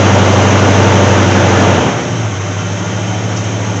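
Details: Ford Granada "Rusty" with chronic fuel delivery problems, after wiring in a replacement fuel pump with pressure regulator and filter: engine runs with a strong, even beat, then settles to a steady idle; fuel now reaching it, normal running.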